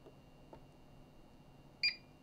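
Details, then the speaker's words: APC 1500VA uninterruptible power supply running on battery: one short high beep in a quiet room after the button is held. It confirms the battery alarm is muted, and a cross appears on the sound icon. "there you go oh you got to hold it now it's off has a little cross to the sound"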